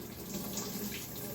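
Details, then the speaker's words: Maytag MVWB765FW2 top-load washer after replacing the faulty water inlet valve, normal wash cycle: steady hiss of water pouring into the tub, no valve buzzing or chattering; fills normally, confirming the old valve was the fault. "can hear the water, you can see the water pouring into the washer."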